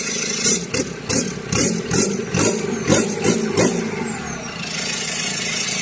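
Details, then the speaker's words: Ford 2.2 diesel start after repaired injectors, bench-tested and refitted to the vehicle: fires quickly, a brief rough catch, then settles into an even, smooth clatter with no misfire. Normal start and idle. "ติดเลยนะครับติดง่ายดายมากนะครับติดง่ายดายมากนะครับเสียงเครื่องนิ่มนวลนะครับ"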